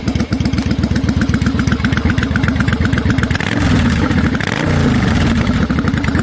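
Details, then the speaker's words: 1992 Yamaha Virago XV750 V-twin with slash-cut Jardine Rumbler pipes with baffles and Dynojet stage 1 jets, mixture screws adjusted: loping evenly spaced idle, then a throttle blip rising cleanly and dropping back; normal idle and revving. "so i made sure that this thing is working for the summer and seems to be running great and i'll start it up for you she sounds wonderful"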